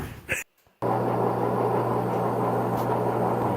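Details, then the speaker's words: Maytag front-load washer drum turning with a rough, steady growl, a bark and a low hum that gets louder, from a failing drum bearing before repair. "kind of a growl going on. A growl and a bark. There you go. It's gonna get louder."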